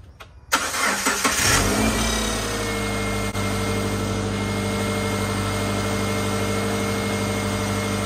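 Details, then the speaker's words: 2007 Subaru Impreza that wouldn't start, after checking the crank and cam sensors and replacing the ignition coil: short crank, fires right away and flares, then drops to a steady even idle with no misfire; normal start and idle, apparently fixed. "well that's all it was boy that was an easy fix well hopefully that's it sounds good"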